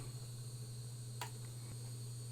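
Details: Western Digital WD_Black 8TB mechanical hard drive at the end of a 19-hour clone: steady low spinning hum with sharp isolated clicks, the "click of death" of a failing drive that needs replacing.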